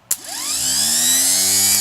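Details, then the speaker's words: K5 Blazer starter after rebuild, bench-tested with battery clamps: one sharp click, then a high whine climbing quickly to an even free spin, no grinding or catching, spraying grease; starter healthy. "Let's see if it spins up and sprays a bit of grease."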